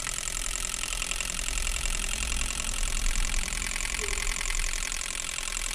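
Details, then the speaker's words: Injectors from a Peugeot 206 three-cylinder in an ultrasonic cleaner for a 10-minute cycle, pulsed open and closed: steady high hiss and buzz with fast even ticking; cleaner working normally. "a gente vem aqui em bicos injetores a limpeza no ultrassom vou colocar aqui 10 minutos"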